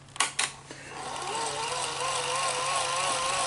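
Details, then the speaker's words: Sony SL-HF900 after a full service, during rewind/fast forward: clicks, then a whine that wobbles in pitch in the forward direction but sounds fine in reverse. Capstan or Hall-effect motor failure suspected. Uneven motor whine. "we can hear that there's some inconsistencies in the motor the motor doesn't quite sound right"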